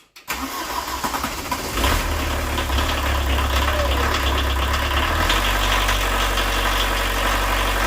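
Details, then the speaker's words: 1986 VW Jetta turbo diesel with almost no compression and a previously dry injection pump, started after refitting four working glow plugs and the injection lines: brief crank, fires within two seconds off the key, then a steady, even idle clatter; normal start and idle. "I traded an old junk snowmobile for this and I paid 150 for and then about what four hours work not even that includes getting it home here it is starts off the key"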